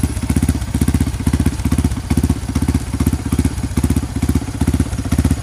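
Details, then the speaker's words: Honda CRF150 supermoto bored up to 200cc with a Juken 5 remap for idle and timing, just started. Crisp, even thumping at a steady rate with no misses, rattles or knocks: normal idle. "Jadi CRF ini itu sudah di remote Juken 5 nya dengan settingan stasioner timing kuda."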